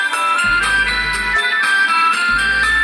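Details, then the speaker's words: Small child-shaped Hafidz speaker had weak, crackly sound. After the volume control was sprayed with contact cleaner and cleaned with thinner, music plays clear and steady with no scratching or dropouts. "Oke Langsung Tidak ada suara kemerosok"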